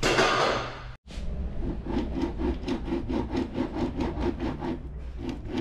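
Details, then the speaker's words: Radon Swoop enduro mountain bike: a dry, gritty rub repeats about three times a second as the cranks turn. Bottom bracket confirmed as the noise source on disassembly and replaced: worn bottom bracket. "voilà donc là ça part en démontage de boîtier de pédalier j'avais prévu et là je confirme la source du bruit"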